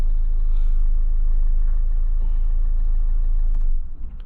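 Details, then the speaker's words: Auction car whose last MOT noted a corroded exhaust and corroded coil springs. A loud, rough buzzing rattle at about four beats a second rides on the idle and stops at shutdown. It seems to come from the boot, but the exhaust underneath is suspected. "So something vibrates at the back. It sounds like it's coming from the boot, but it might just be the exhaust underneath, which is not the end of the world."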